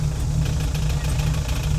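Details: Carbureted LS-swapped Chevy V8 after fixing a wiring issue; deep, steady idle with an even low burble and no stumble or miss, running smoothly.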